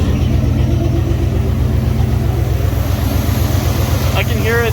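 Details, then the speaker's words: Truck engine just started, not up to temperature, with new double-barrel hood intake fitted; steady, even low idle rumble with a soft regular pulse and no knocks or misses. Normal idle. "there we go so we got it running um definitely not up to temp"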